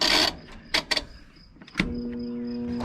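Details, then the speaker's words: Roper washing machine that the previous owner said didn't work, stood upright. The motor is not seized but gives a steady low electrical hum with no spin-up, and the tub won't turn. Owner suspects the clutch underneath. "there's that humming again i tried turning this tub and it won't turn"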